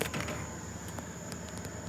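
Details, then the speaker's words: 2021 Kia Niro EV on AC overnight charging at a powered campsite, car hot from charging, around 18% charge: quiet steady whirring hiss with thin high whine like an AC blower; battery cooling system kicked on, shut off about five minutes later. "Sounds like I've turned on the air conditioner, but I haven't. That's the cooling system the car's kicked on. This has gotten hot charging. I haven't heard it do that yet on a AC charge."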